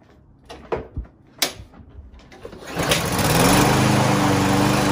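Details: Lawn Boy push mower unused for almost a year, would not start: after clatter it catches and runs at a high buzzing speed only on starting fluid sprayed into the intake, pointing to a gummed-up carburetor.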